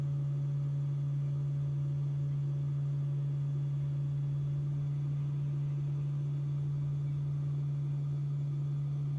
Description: This buzzing sound is usually due to the HVAC compressor located just under the dash which has a function to reduce battery temperature whilst supercharging. This is a normal sound and can be heard when standing outside the car as well.